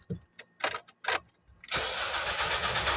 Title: 2016 NISSAN NAVARA/P0340 CMP Sensor Circuit Bank 1/Hard Starting/Cause & Remedy(Part 1)